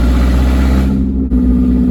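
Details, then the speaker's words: 1999 Mazda Miata NB, sat eight years, running with the exhaust removed: deep, loud, coarse burbling rumble with a brief lift mid-clip; catalytic converters missing. "Sounds like those squatted Carolina trucks. That it's just terrible. Oh man, I cannot wait. I cannot wait to get an exhaust on this thing."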